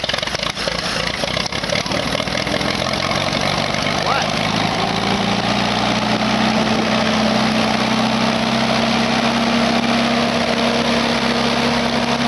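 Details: Engine that wouldn't start because it was out of gas, now refueled: it catches and settles into a steady, even idle with a constant hum and no misses; normal idle.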